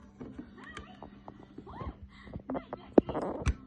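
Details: Powered speaker at switch-on, before repair: steady low hum with warbling, chirping whistles and clicks, caused by a shorted diode. After the diode was replaced, the speaker worked.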